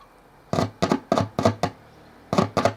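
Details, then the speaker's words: Carlsbro Pro-Cab 1x15 100 W, 8 ohm PA speaker: a 1.5 V AAA battery tapped across the input leads gives sharp single pops in short bursts, about three a second, as contact makes and breaks; the bass driver cone moves and works. "Yep, I can hear that the bass driver is working. Excellent."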